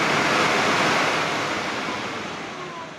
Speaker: Now it runs quite nice. That's plastic not touched together anymore.